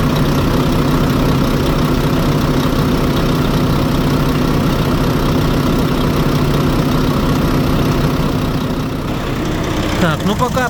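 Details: Volvo FH4 truck diesel engine, about 100,000 mileage, restarted after injectors were removed: heavy idle with an uneven knock, roughly three or four a second, riding on the clatter; knock had earlier reappeared once warmed to 76°; valvetrain knock traced to the camshaft.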